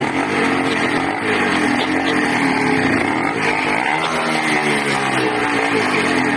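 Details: 80cc two-stroke engine with a loud, buzzy note that hunts and surges unevenly in pitch; erratic running, owner suspects a carburetor or intake manifold leak.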